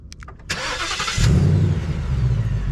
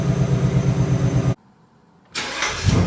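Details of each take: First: New 2020 Ford Mustang GT, warm start: a short, clean starter crank, then the engine catches at once and settles into a steady, even V8 idle; normal warm start, unlike its weird warm-start sound. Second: New 2020 Ford Mustang GT V8, warm start: engine runs, briefly cuts out, then restarts with a rev flare and settles into a lumpy idle; owner finds the warm-start sound weird and asks if it is normal; cause unknown.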